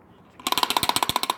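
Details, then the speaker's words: BMW E46 3 Series idle control valve after cleaning with brake cleaner; a quick burst of about fourteen crisp clicks in just over a second, much faster than before, so the valve now moves freely. "It's much faster than it used to be, so this works."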